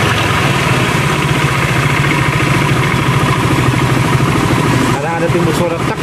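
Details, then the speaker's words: Honda Vario 110 scooter that stalls after about 100 m when hot, runs rough, with thin white smoke; run hot and hard, then revved: rough rapid tak-tak ticking from the CVT, mechanic suspects worn clutch shoes. "bagian krekker-krek di CPT itu kayaknya bagian kampas ganda itu juga bermasalah."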